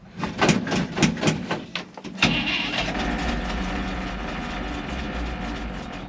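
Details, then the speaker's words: 1964 International 1700 4x4 tow truck, V345 two-barrel V8, first start after sitting: brief cranking, then it catches into a slightly lumpy, unsteady idle. Some fuel seeping at the fuel pump. Rough running after first start. "she sounds a little rly but not horrible"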